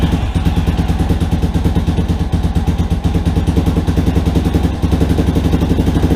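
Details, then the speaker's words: Rebuilt Yamaha Warrior quad single-cylinder at first start after rebuild, cleaned carburetor, idle screw two turns in, not yet revved: steady even putter at fast idle, no ticks or knocks; runs well, idle still needs adjusting. "so holy crap guys she's running it sounds pretty good oh i gotta mess with that idol a little bit more but man guys this sounds really good"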